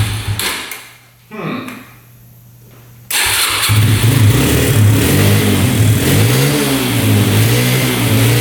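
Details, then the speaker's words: 2011 Yamaha Raptor 125 after unclogging, running: cranks and catches into a lumpy, uneven beat that never picks up cleanly; runs decently and revs only on choke, stalls and won't rev with choke off. "Well, it's doing the same exact thing that the seller was saying. So, it's revving out with the choke on. Um, you start it up with the choke on. It runs pretty decent, actually. you turn the choke off, it stalls out and doesn't want to rev out."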